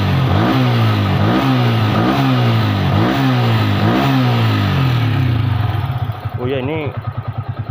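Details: Yamaha Vixion motorcycle after repair (tensioner, cam chain and coolant replaced) following sudden stalling and no-start with odd noise: smooth repeated throttle blips rising and falling cleanly, no tapping or rattle, no smoke; engine sounds healthy.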